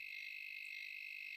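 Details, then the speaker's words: Khind ARF-3000 air fryer thermal fuse, multimeter continuity test on blue wire: only a faint, very broken high beep instead of a solid tone; thermal fuse suspected faulty, to be confirmed with a DC voltage test before replacement. "agak lemah dan juga sangat terputus-putus lah. Okey, untuk memastikan bahawasanya thermofuse ni rosak, kita akan buat pengujian yang seterusnya."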